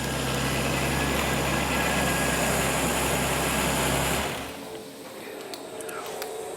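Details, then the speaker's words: Holden VL Commodore with swapped RB30E+T turbo six, first start-up after ECU setup and pre-start checks, oil pressure confirmed: smooth, even idle with steady low drone, no misses or knocks, switched off after about four seconds; running well. "running RB 30 this is very good this is what we want"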